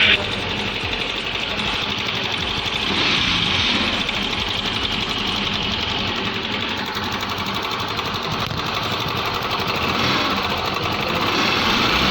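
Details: 2021 TVS Jupiter 125 BS6 scooter engine running: irregular rapid ticking and rattle over a thin, hissy exhaust note; abnormal engine noise, cause unclear.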